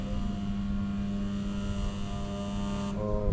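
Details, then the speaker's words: Duplicate local AC: indoor unit runs but outdoor compressor hums loudly about three seconds then cuts out, drawing 23 amps at start and dropping voltage; stalled compressor, fixed by replacing it. "अंदर AC चल रहा है बाहर का कुछ नहीं चल रहा है तो ये हमिंग कर रहा है और फिर बंद हो जा रहा है 23 एंपियर से स्टार्ट हुआ है"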